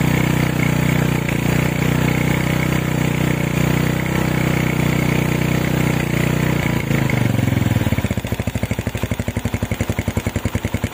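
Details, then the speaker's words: Honda Tiger stock engine with PWK 28 NGO carb, GL Pro needle clip moved to top, pilot jet lowered to 30, after resetting: single-cylinder idle settles steady and even, no hiss or hunting; normal idle, no longer running wet. "Stasionernya stabil sekali, nggak ada suara ngesesnya juga."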